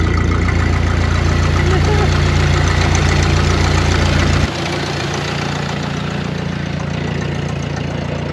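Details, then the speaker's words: 1931 Ford Model A peach flat sitting 30+ years, first run after revival: loud, open, chuffing idle pulsing about three times a second, then dropping lower; muffler split wide open at the seam leaks exhaust; carburetor not entirely happy, needs a kit. "That muffler is awesome. It's like wide open at the seam."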